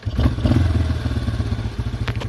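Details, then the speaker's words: Yamaha Wolverine ATV after carburetor rebuild, started in neutral: lumpy, slow single-cylinder idle with uneven pulses close to stalling; idle speed set too low. "we'll shut it off and then we'll click it back on in neutral start it up now i got the idle a little bit too low"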